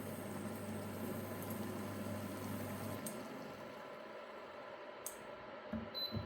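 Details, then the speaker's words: Dune 4WD 240V portable induction cooker (2000W+) on a low-power setting with boiling water: low steady hum cuts out around three seconds, then faint clicks as the relay cuts in and out; normal low-power cycling. "go through each of them and just see what it's cut in, cut out's like, so you can hear the relay. Just giving it little cutting cutout."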